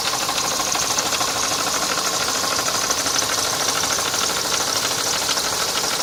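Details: Mercedes M102 four-cylinder engine from a 1990 W124 E230 at idle: sharp metallic internal knock, roughly three beats a second, over a hissy mechanical clatter.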